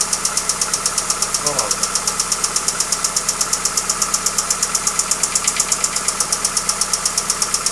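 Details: Hyundai Accent engine at idle with sharp, even, regular metallic knocking several times a second; engine knock, cause not yet found.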